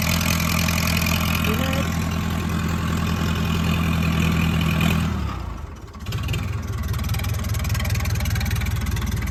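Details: Massey Ferguson 168 diesel tractor, first start after about two months of restoration: turns over, catches with a dip, then settles into a steady, even idle. It runs again normally.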